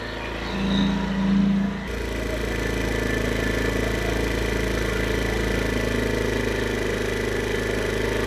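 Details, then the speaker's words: 2022 Chinese carbureted scooter with a bad carburetor: with the enricher on, a brief blip, then an even, slightly raised warm-up idle with a steady beat and no stumbles. It should drop once the enricher comes off; healthy. "turn it up just slightly more during the idle warmup process about right there and then when the enricher comes off it should idle"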